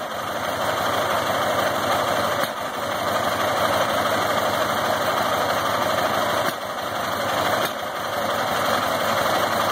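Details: Ural IMZ-8.103-30 boxer motorcycle, K-2401 carburetor, Sovek ignition, at idle: uneven running with irregular pops and dips, backfiring into the carburetor; diagnosis: cam timing marks misaligned.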